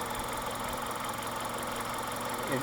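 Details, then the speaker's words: Mitsubishi 2.0 GDI 4G94 (Shogun Pinin) after EGR/intake cleaning: quiet, even idle, smooth steady hum, no ticks, misses or hunting; runs and drives nicely, though an intermittent fuel rail pressure sensor fault persists, suspected contact issue. "It runs nice, it idles nice, it drives nice, but I still get an intermittent fault from the fuel rail pressure sensor."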